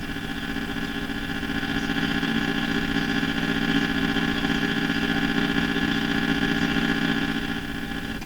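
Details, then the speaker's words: Philco 49-501 Boomerang radio with weak output, heard through a signal tracer with volume turned up: loud steady hum and hiss with fixed tones and no clear station; noisy weak reception, alignment problem suspected, not confirmed. "turning this volume up the radio gets quite loud it's just full of noise because it's having a hard time picking up signals but that again sounds like alignment issues"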